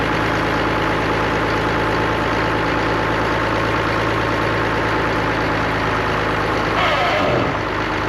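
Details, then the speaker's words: Allis-Chalmers diesel tractor just started after cracking injectors, running the electric fill pump, heat and ether: steady, even idle with a smooth low rumble and no knocks or misses; sounds healthy. "Nothing really to complain about. Not near as bad as my N6. Um, it's running. Sounds healthy."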